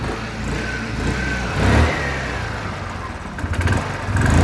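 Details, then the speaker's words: Wolf EX-150 scooter, GY6 157QMJ 150cc four-stroke, hard to start, new spark plug fitted and idle screw turned up: starts but the idle sags and surges low, then dies. "Oh, here we go. I turned the idle up a bit. It sounds a bit low still."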